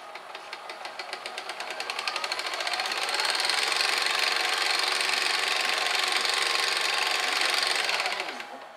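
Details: GoVideo DVR4000 DVD-VCR with weak take-up torque, where a cracked drive gear had detached from the clutch: on fast-forward, light even ticking over a soft whir, spooling smoothly. The clicking is attributed to the split gear tooth.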